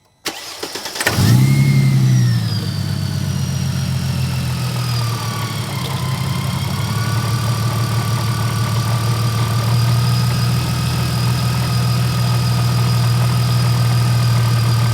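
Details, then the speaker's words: Mercedes SLK32 AMG after fitting new ignition coils, replacing Bosch coils whose plug connections kept popping out. It cranks, catches in a second and settles to a smooth steady idle with no stumble; the previous misfire is gone. "Seems a lot better now, not no miss anymore. I'm gonna let it run for a little bit, then we'll give it a couple run and see what it does. That sounds a lot better and a lot more healthier."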